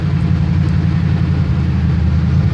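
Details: 1978 Chevrolet C10 pickup, just started after about three weeks sitting, around 90°F outside, warming up: deep, steady burble with even beat, no knocks or misses; healthy idle.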